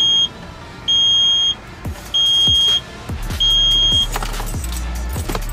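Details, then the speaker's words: 2012 Hyundai Veloster, key in ignition while replacing the climate control fan speed knob module; steady high-pitched beep repeating about every 1.25 seconds; warning chime, cause not identified. "what the freak is that beeping for like what is this a school bus"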